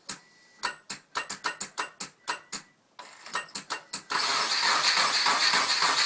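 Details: Subaru Forester: the starter churns in quick, uneven bursts of about three or four a second, but the engine never catches. It cranks and won't start.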